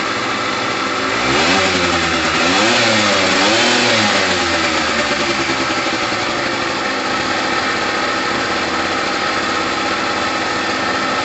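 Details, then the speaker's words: Gilera DNA 125 two-stroke after a new fuel line and filter, on red petrol heavily premixed with two-stroke oil: a couple of quick blips, then it settles to a steady, crisp idle with no hunting. Normal idle. "all right guys that sounds amazing i've got a lot of two-stroke oil in there the petrol is literally red"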